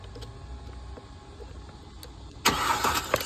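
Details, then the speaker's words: Mercedes ML350, dead with no communication, CAN line shorted to ground, starter relay removed: quiet ticking then about a second of rough cranking the instant power is jumped; suspected uncommanded starter engagement, relay found tampered. "it wants to start the car as soon as I apply power here"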